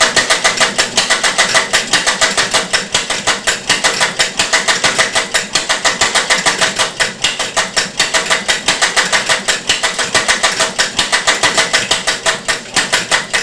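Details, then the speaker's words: Homemade experimental one-valve engine with a ratchet cam drive, run briefly after belt start: loud uneven clattering firing with wandering rhythm; erratic running from mechanical jitter in valve timing, plus early injection thought to atomize fuel poorly. "but this will be the example of the one valve engine running with the noisy ratchet drive here we go"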